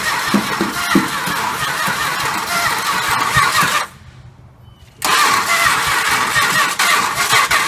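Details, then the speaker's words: 1968 Chrysler 300 440 V8 sitting a long time, first start attempt after plug work and gas: cranks and catches, then cuts out abruptly before firing again; dies on releasing key, ballast resistor suspected, bypass to be tried. "also i was told uh you know the engine would start and then cut off right away as soon as you let go of the key so they're saying that the ballast resistor may be bad and to try to bypass it to see if that's the case"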